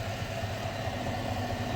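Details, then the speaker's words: 2021 Silverado idling with a faint constant whine that grows louder with revs, heard through a funnel on a screwdriver held at the idler pulley; the idler pulley is confirmed as the source. "there's no doubt that idler pulley is the problem."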